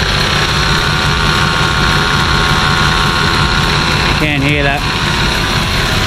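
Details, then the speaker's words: Nissan Patrol TD42 diesel that runs hot (up to 115°C towing), just fitted with a new UFI fan and clutch: loud steady roar with a rough scraping note as the fan rubs a broken-off shroud tab. "that what I'll do so I'll fix that up so it's not actually touching on the fan itself"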